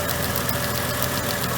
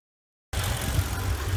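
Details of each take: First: Mercedes petrol engine idling: quick light ticking on top of idle, the normal sound of the purge valve solenoid cycling. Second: Rough, lumpy idle on a Mercedes W463 G500 petrol V8, low uneven rumble surging and dipping; no check engine light, P0444 purge valve code being diagnosed, vacuum leaks being checked; cause suspected, not confirmed.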